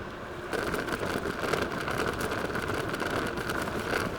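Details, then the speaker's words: KuKirin G4 electric scooter, 2000W rear hub motor, 60V 20Ah battery, riding over rough terrain: dense irregular clattering from cables rattling on the steering bar and something loose rattling at the rear. "As you can hear, it's not the most quiet scooter going over rough terrain, and that's one of the things which I a little bit dislike about it. There is some rattling noise coming from the cables on the steering bar here, and there is something rattling in the back."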